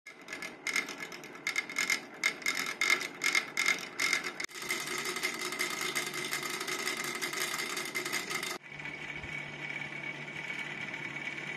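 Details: Cryptocurrency mining rig GPU fan: high-pitched whir with fast irregular ticking and a buzzy tone near 2 kHz; the fan sounds rough and noisy, cause unclear.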